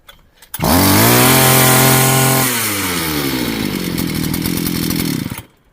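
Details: Two-stroke string trimmer (motokosa) after clearing a flooded cylinder: the wet plug was dried and refitted, choke lever down, started at full throttle without further priming. It catches at once, screams at full throttle, then settles to a steady, healthy idle.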